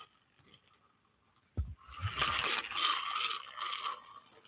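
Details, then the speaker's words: Offshore Angler Saltstriker 8000 shore casting reel, opened and reassembled (drag works, clicker gone): irregular gritty scraping each time the handle turns, a rough rub catching inside; something is rubbing internally, cause not confirmed. "You hear that? Something's rubbing in there."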